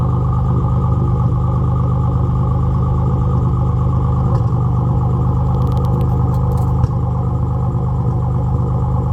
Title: Z31 300ZX misfire before top end rebuild